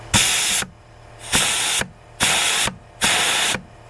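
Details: Junkyard 4L80E donor transmission on the bench, air check of clutch packs: four short air blasts, each with a firm thunk as the clutch slams on, no leak hiss between; internal seals good, clutches moving freely.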